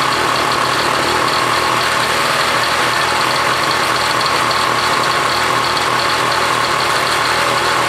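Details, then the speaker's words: 1966 Honda CL90 (owner unsure of year), rebuilt top end, idling after debris was cleaned off the ignition points: fast, even idle with a bright, steady buzz, no misses or stumbles; healthy, wants to run good. "yeah okay wants to run good"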